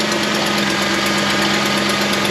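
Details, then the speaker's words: Ford F-150 Triton V8 at idle after engine swap, fast sharp puffing tick over steady hum from an exhaust leak, not the rattle in question; oil pressure about 50-55 psi. "that's not the noise in question that's the exhaust leak"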